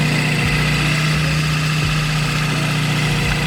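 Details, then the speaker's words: Supercharged Chevrolet Cobalt SS at idle: faint intermittent rattle or slap over the hum, less frequent after a new tensioner bolt, worse when warm; source unconfirmed. "it was an intermittent rattle before and it was it's kind of like between a rattle somewhat of a like a slapping noise"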